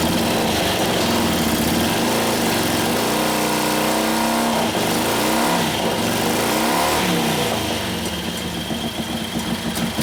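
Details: 1941 Harley-Davidson WLD 45 flathead V-twin, 56ci stroker build, warm, revved in second gear against the held brake: even lumpy beat swells with throttle, crisp firing without misses or knocks; healthy, sounds like it has a cam.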